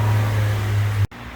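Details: 2013/14 Honda New Civic 2.0 after accessory belt tensioner replacement: smooth, steady low hum with no squeal or chirp from the belt before it cuts off; sounds healthy.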